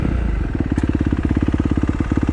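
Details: 2015 Kawasaki KX250F fuel-injected four-stroke single, after an intake valve clearance job fixed its no-start, idling in gear with the clutch pulled in. Crisp, regular thumps, even and steady with no misses; idling smoothly.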